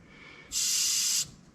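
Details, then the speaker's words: 1974 Chevy C20 AC system being retrofitted from R12 to R134a: a short, sharp hiss of about three-quarters of a second as the fitting opens, residual refrigerant (probably R12) venting. "okay so it has just a tiny bit of something in it still which it doesn't have fittings on it so i know it's probably r 12."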